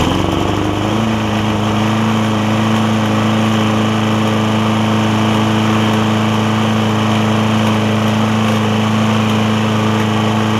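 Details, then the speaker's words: Lowe's MTD push mower with Briggs Quantum engine after intake valve grind and slightly drilled-out carb jet: steady even note at constant pitch, surging mitigated, running smoothly now. "it seems that the surging is kind of been mitigated a little bit so hopefully that's a good sign"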